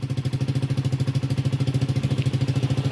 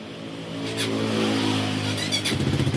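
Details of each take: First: Honda Supra GTR 150cc fuel-injected motorcycle after top overhaul and new clutch lining, being tuned; scanner shows engine speed RPM at standard; steady even single-cylinder idle about three pulses a second, no knocks or misses, normal idle. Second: Honda Supra GTR 150cc fuel-injected motorcycle engine after top overhaul, ECU reset with OBD 900 Pro scanner, TP sensor 0.51 V; catches, runs briefly with steady low beat, then ragged uneven pulses and stalls, blamed on weak battery.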